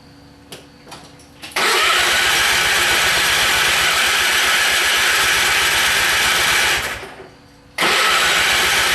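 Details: Simplicity machine with hard starting: long steady starter cranking, about five seconds, with no catch, then stops and cranks again; engine reluctant to fire, cause not confirmed.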